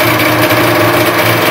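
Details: 1976 Rupp Nitro 340 two-stroke first start after full top and bottom end rebuild with new high-performance Wiseco ported pistons; crisp, steady buzz with even beat, no knocks or rattles; normal idle.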